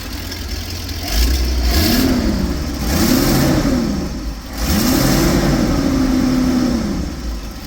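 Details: 1977 GMC Eleganza II motorhome, 455 cubic inch V8 with Edelbrock carburetor, at the motor access hatch after a new exhaust donut install: three smooth rev blips rise and fall cleanly, no ticking or puffing; exhaust leak cured.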